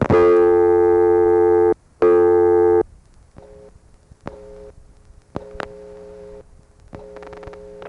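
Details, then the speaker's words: Morgantown, Pennsylvania ESC (Conestoga Telephone), August 1976, all 7 digits dialed to Tara Hill 445, recorded without attenuation: fast, steady on-off reorder tone with faint clicks between bursts after the call attempt, marking a failed call. "This time I'll dial all 7 digits so you can hear the reorder without attenuation."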